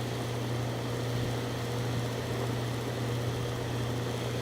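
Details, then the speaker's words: Goodman AC condenser, not cooling, suspected bad capacitor and low R22. Both fan and compressor start, giving a steady low hum with even fan rush and no rattles; it runs normally with no major component damage. "I did hear both components start"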